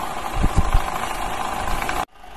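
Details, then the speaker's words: Toyota Highlander in gear with a little throttle: a steady hum with a few heavy, low knocking thumps, which in 80-90% of such cases is a worn balance shaft needing a genuine replacement; same fault as on the Lexus 270 and RAV4. "挂档，加点油试一下，你看，有那个哒这种声音。这种80%、90%都是平衡轴的异响。"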